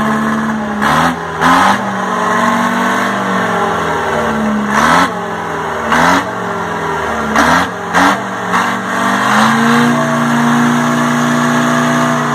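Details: 1960 Detroit 4-71 two-stroke diesel from a telephone-company generator, said to have only test hours; old fuel oil left in and air-cleaner oil emptied. Revs up and drops back several times, then settles to an even idle. Smokes a little at low rpm but runs good and strong.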